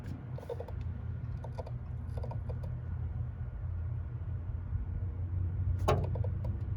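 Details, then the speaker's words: 1986 Ford F350 6.9 IDI, engine running: irregular bursts of clicking at both the wiper motor and switch, wipers stuttering, washer also intermittent; owner suspects the switch or a bad connection, unconfirmed. "so you can hear the motor there doing weird stuff there's a ground up top there so we got clicking at the motor and clicking at the switch"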